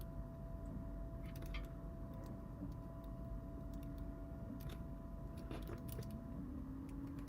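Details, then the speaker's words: 3D-printed PLA gears on an Arctos 6-axis robot arm joint, ungreased and not worn in, no load: quiet motor hum with scattered sharp crackles and clicks; gears catching and binding, cause suspected not confirmed. "so they're printed at 100% it crackles like maybe it needs load on it"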